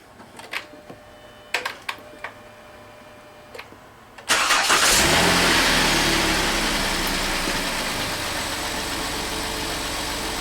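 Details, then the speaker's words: Car cranking during a battery starter-draw test with a multimeter on the battery, which read about 12.4 V (about 80% charge): a few clicks, then a quick start into a steady idle. Cranking voltage dipped to about 10.8 V and charging began right after. "we're going to hold these 2 leads on the battery while my assistant mechanic helps me crank the vehicle. So go ahead and crank it."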